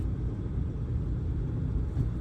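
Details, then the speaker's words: Truck with NV4500 manual transmission coasting in third: deep, steady rumble with no gear noise, which sounds normal. Gear noise appears only in first and second under engine braking. "On acceleration, everything is just as it should be. Third gear, everything sounds good."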